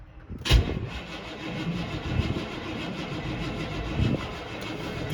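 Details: 1979 Chevy Suburban V8 with worn-out starter, no choke and a bad carburetor, cold weather start after exhaust rework. Sharp catch then uneven churning and stumbling without settling; hard starting.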